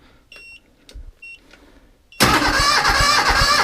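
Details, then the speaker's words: 1978 Bolens diesel tractor, cold start on a KeenPower supercapacitor jump starter alone: after a few beeps the starter spins briskly and evenly, about three and a half turns a second. Much faster than on the weak battery; healthy cranking. "now we'll go ahead and hook up the Keen power just by itself and we'll see the difference in the cranking speed"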